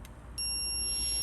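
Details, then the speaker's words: Logic probe connected to a Ford Focus fuse box while diagnosing a crank-no-start fuel fault; click, then a steady electronic tone on touching ground (ground gives green light and dull tone, live gives red light and loud tone). "So how this works, if you touch a live, get a red light and a lot of noise."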